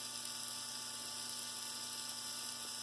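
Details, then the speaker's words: Rebuilt Bachmann GP30 pancake motor on bench at 14 V, under 0.3 A when held near stall; light steady high-pitched whir with faint hum, smooth and powerful. Normal motor run. "here we've got the 14 volts that Tech 2 will put out. Sounds really good. Not only that, it's got some power."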